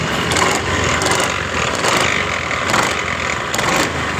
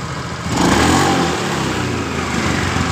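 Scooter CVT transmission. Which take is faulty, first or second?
first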